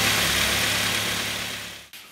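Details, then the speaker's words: Mk3 Ford Mondeo after the noisy air con compressor fix, all back together: steady, even idle hum with no whine, knocks or misses, then a single click; engine sounds healthy. "lovely i cannot hear no wines now can you hear any whining andy"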